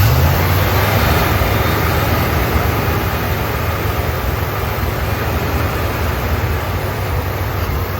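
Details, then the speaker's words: 1972 Dodge W200 Power Wagon V8, just revived after years sitting, warming up, 40 PSI oil pressure, some smoke, leaking valve covers: deep steady settled idle, no knocks or misses; sounds healthy. "That was fun. Just sitting here idling. Not bad."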